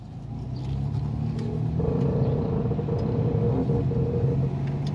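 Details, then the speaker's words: All-wheel-drive Ford Escape on test drive: uneven knocking from the rear, only when turning and worse turning right, felt as a shudder or skip; cause unclear, unserviced rear differential suspected. "there's a weird noise coming from the back of the car that only seems to be there when i'm turning it sounds like a knocking noise so i'm gonna go ahead and turn right it seems to be worse whenever i turn right"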